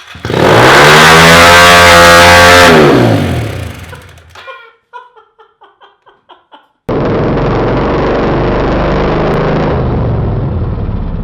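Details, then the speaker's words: Kawasaki KLX 110 test-fired after carburetor cleaning (clogged jet, dirty bowl) following a near swamping in a creek: fires straight to a screaming flat-out rev that holds, dies, roars up again; throttle stuck wide open. "all right obviously your throttle got stuck in the process that's crap"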